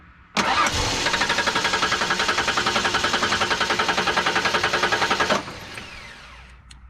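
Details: No-start: starter cranks steadily about 3.5 turns a second for five seconds, engine never catches; no fuel pump heard even with the relay bypassed, so bad fuel pump or pump wiring.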